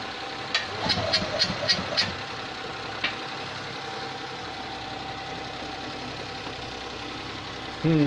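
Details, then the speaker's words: Abandoned Invacar with a 493 engine, first start attempt in 14 years, jump-started from an 847cc car: a run of sharp irregular pops spitting back through the carb while cranking, then it dies. Owner suspects ignition timing; the distributor won't move. "Well, 847cc is trying to start 493, but we're not getting there. Keeps on backfiring through the carb, so I think a timing tweak might be necessary."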